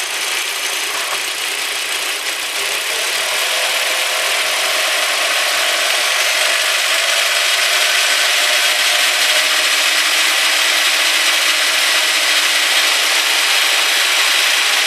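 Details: 1998 Audi A4 1.8T AEB engine, 120,000 km, frequent oil changes, warm, 1000–2500 rpm: harsh rhythmic metallic squeak about four chirps a second from under valve cover; cause unknown.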